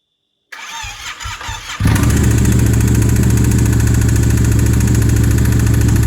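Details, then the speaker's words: Yamaha MT-07, about 16,000–17,000 km, engine damaged by oil starvation: after cold start a hard regular knock about three per second over idle; owner suspects worn connecting rod bearings. "un gros bruit au niveau du jeu pensé au niveau du banc moteur je pense qu'un coussinets de bielles et hs"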